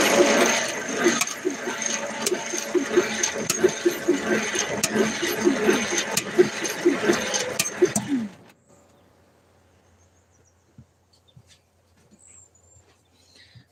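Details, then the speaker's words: Car engine with previously stuck valves freed using Marvel Mystery Oil, cranking slowly on a weak battery; light, regular tick about 86 a minute over cranking, suspected from still-sticky cylinder five valve or a busted spring; not confirmed. "if you guys can hang hear that faint tick, that's the only thing I'm kind of worried about."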